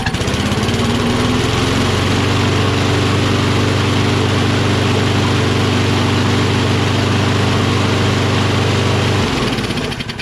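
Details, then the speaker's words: Toro Recycler XT675 Kohler mower: runs steady and even about nine seconds, then dies; starts only with the choke flap held shut by hand. Owner suspects a dirty choke linkage or a faulty auto-choke thermostat. "So it starts with the choke flap manually closed. It's still kind of closed. It didn't really open."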